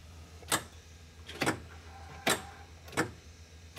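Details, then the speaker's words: Blue Bird school bus with Cummins engine, no crank no start: sharp irregular clicks about every three-quarters second when key turned to start, dash lights go off; suspected weak battery or voltage drop in starting circuit. "And there's a clicking sound coming from this area. So let me try to crank it once again."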